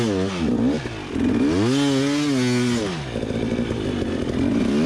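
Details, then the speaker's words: 2021 Gas Gas EC300 two-stroke enduro bike on a dusty hill climb during a hard enduro race: note sags and surges, stumbling and nearly stalling instead of climbing; bogging and power loss, rider suspects air intake, engine later blew. "bike is definitely suffering in power right here and it keeps and it's like kind of stalling out on me it's really weird"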